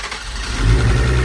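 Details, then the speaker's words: First start after work in Colorado, with air bubbles being purged: brief crank catches within a second and settles into a strong, even low rumble; fires cleanly and runs smooth. "She's alive on the 91. Sounds smooth."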